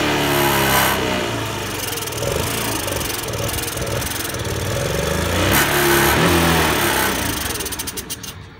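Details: Honda Today moped: revs rise and sag unevenly, never pulling cleanly to high speed; poor running suspected from carbon buildup, engine conditioner being tried. Engine won't rev.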